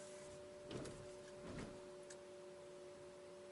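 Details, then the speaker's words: BYD Atto 3 EV: steady low two-note constant hum over quiet road noise at low speed, disappears as speed rises; normal pedestrian warning sound. "It's just a very constant humming at low speeds. As I pick up speeds, and then it's gone."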